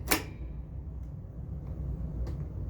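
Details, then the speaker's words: Ghostbusters Pro pinball left flipper, rebuilt with narrower link so it no longer touches the coil sleeve: one crisp clack as the flipper fires and the plunger hits its stop, then quiet; normal flipper action. "definitely the link is not touching the coil sleeve there's a little more clearance there you can hear the plunger banging into the coil stuff nice and happily"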